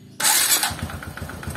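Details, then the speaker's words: Honda Supra underbone motorcycle just after starting: steady light tick over the idle, identified as a dirty cam chain tensioner rather than valve clearance. "Tapi kalau ini dada sales target tapi ini adalah suara dari Tensioner yang kotor"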